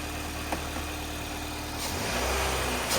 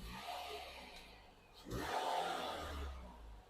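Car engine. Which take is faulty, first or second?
second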